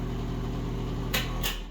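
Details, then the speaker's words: Bathroom exhaust fan running with a steady low buzzing hum and a slight vibration on the motor drone, before cleaning; the suspected cause is dust on the fan blades. "All right, we got a bath vent here that's making some noise. Hear that little vibration?"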